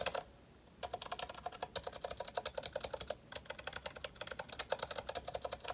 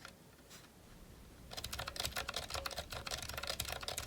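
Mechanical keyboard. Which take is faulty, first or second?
second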